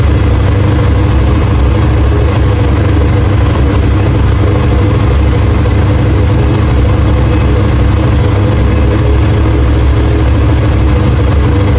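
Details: 1968 Chevrolet Impala 454 big-block V8 after head gasket replacement, 60 psi oil pressure, new radiator with dual fans holding about 180 degrees: deep, steady, even idle rumble with no knocks or misses; healthy.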